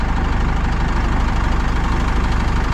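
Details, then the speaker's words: Pajero motorhome running after many failed start attempts, finally jump-started from a truck's battery. Deep, even chug at idle with a steady pulse and no stumbles; engine running fine once jumped. "250 mil tentativas conseguiram gente conseguiram caramba teve que ligar no na bateria do caminhão mas uma outra bateria"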